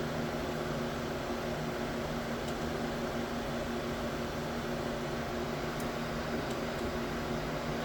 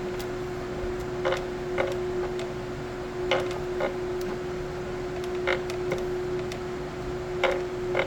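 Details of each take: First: Let's see if this one purges So three is now purging. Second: Ace Pro filament feeder, slot 2 loading during printing: steady motor hum with irregular creaks and clunks about every two seconds, wheels not slipping but filament not pushed; creaking feeder with weak filament feed.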